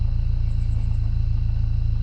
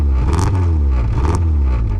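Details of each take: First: Dodge Neon about 45 seconds after starting: smooth even low rumble, steady beat, no ticking; now totally fine, normal idle. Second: Dodge Neon after sitting, cold start after long flood-clear crank: engine catches and runs rough with loose uneven ticking; owner suspects lifters lost their oil prime from sitting.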